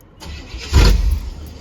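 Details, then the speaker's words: 1994 Chevy K1500 with compression, fuel and spark catches with a short rough burst, then bogs and fades out instead of idling, as if getting too much fuel or weak spark; flooding traced to a faulty coolant temperature sensor, which was replaced. "It'll immediately start and then it bogs out as if it's like getting too much fuel or not sparking enough."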